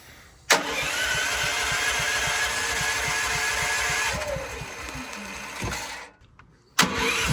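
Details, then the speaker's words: Building backup generator during monthly life-safety testing, before transfer to load: catches at once and settles into a steady, even run, drops out briefly, then fires straight back up; producing power, normal start. "It is putting out power, so we can go ahead and transfer over to generator to put some load on it."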